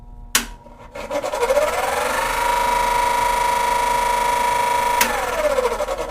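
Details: Cadence range hood exhaust fan that doesn't suck: spins up on speed three with a rising whine and constant raspy scrape, then winds down; fails to start on lower speeds, suspected dirt and old oil.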